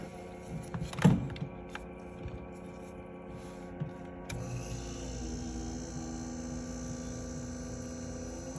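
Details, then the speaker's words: Mini fridge (HNSE05SSRF) not cooling, compressor started by jumping with a wire: click, then low steady hum with faint hiss, refrigerant flowing; compressor starting and running normally. "we're going to plug the unit in and you're going to hear the compressor kicking on hopefully you can hear"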